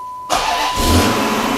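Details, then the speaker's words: Hemi V8 first start after the oil pump install, with the key cycled first to build fuel pressure before warm-up. A short crank, then it catches at once and settles to a steady, even fast idle with no knocks or rattles; no leaks, healthy. "there we go always a good sign when it fires like that don't see a bunch of leaks immediately which is always important all right everything looks and sounds good"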